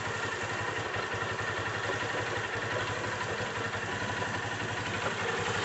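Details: Motorcycle idling before the clutch cover is opened, with an even thump and a loose, rattling clatter on each beat from the clutch side.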